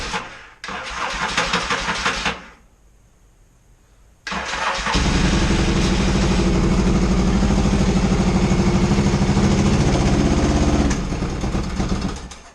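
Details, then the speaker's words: 1982 XS650SJ twin during fuel work, started without choke: it fires, dies, restarts and settles into a slow, lumpy low idle. The idle adjustment seems to be set far back, but it didn't run like this before; the owner suspects something else is wrong. "yeah the idle adjustment seems to be pretty far back but i mean i'm not saying it's not supposed to be out here much further but it didn't run like this before"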